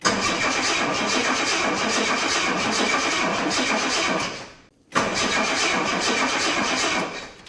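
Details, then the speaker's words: 1984 Jaguar XJ6 automatic, sat 20 years, cranked after starting fluid: two bursts of fast, even cranking at about three beats a second, never firing. Crank, no start; owner suspects lost spark and a dirt-filled distributor. "Hmm, wonder if we lost spark. I did hear from a commenter that saw this car in the background of another video. He said that these distributors are notorious for getting full of dirt."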